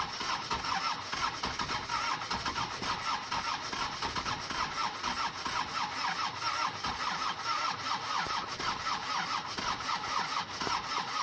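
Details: Mercedes OM617 diesel swapped into a Toyota pickup, after new injector nozzles were fitted: steady rhythmic starter cranking the whole time, engine never catches; cranks but won't start.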